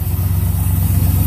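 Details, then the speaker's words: 1981 Pontiac Trans Am 301 turbo 4.9 L V8, newly installed FiTech EFI: low smooth V8 burble at steady idle with even pulses, no stumble or miss; running well. "yeah good yeah it'll seems to be running right down and good"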